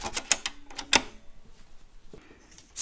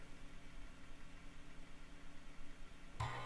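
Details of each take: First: Teac FD-55GFR 5.25-inch floppy drive on an old NEC UF0001 USB floppy controller via 26-to-34-pin adapter, reading an old game disk: quick bursts of sharp ticks then near silence as the head seeks; table of contents reads but file copying fails. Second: Teac FD-55GFR 5.25-inch floppy drive connected through an NEC UF0001 USB controller and a 26-to-34-pin adapter, booting from old disks: low hum, then a short buzzing seek burst; normal seek and read.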